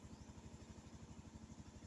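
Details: Honda Zoomer X scooter started with left brake held, has automatic idle stop at red lights; low, even putter at a steady quick beat, no knocks or misses: normal idle.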